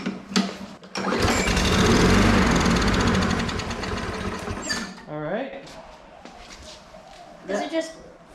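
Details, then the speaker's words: Lawn mower engine after cleaning up, dead with no life until a shot of ether, then catches immediately and runs briefly, confirming compression, valve clearance and spark; only fuel missing, year-old go-kart gas in tank; fuel starvation. "that also verifies that our valve clearances are right we have spark so the only condition we need to fix is gas"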